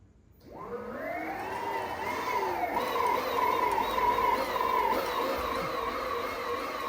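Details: Surron electric dirt bike, first power-up after powder coating with the controller just reconnected (battery and breaker on, key on): motor whine rises smoothly with throttle, then holds a steady clean pitch with no grinding or clunks; sounds healthy.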